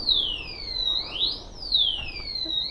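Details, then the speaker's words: BMW G310GS motorcycle that won't start, waiting for a tow: loud high-pitched siren sweeping up and down about every 1.5 seconds from the brake disc lock alarm. "இந்த sound இருக்கா டிஸ்க்ல போட்டு இருக்கேன் so அதனால sound பயங்கரமா வருது"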